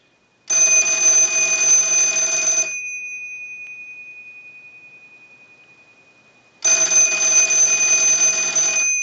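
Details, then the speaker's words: Business telephone during final checkout after repair, ring cycle sent from analyzer, audio via amplified pickup taped to back: clean even ring bursts about two seconds, four-second pause, ringing again; ringer healthy. "Now, on our analyzer, I can send a ring cycle. So we want to go ahead and start the ring cycle."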